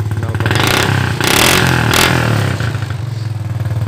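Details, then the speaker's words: Mocin/Supra motorcycle just after fixing the faulty spool that gave no spark: uneven revving with sharp crackling exhaust pops on the throttle swells. The carburetor still needs adjusting. "Langsung sekali start langsung hidup. Tinggal menyetel di karbunya saja, ada letupan-letupan kecil"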